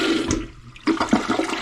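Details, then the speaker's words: Newly installed replacement toilet, second flush, with the tank filling to stop right at the set level on the overflow; quick rush of water swirls down cleanly and tapers off evenly; normal flush. "Boom. There we go. Got a good flush."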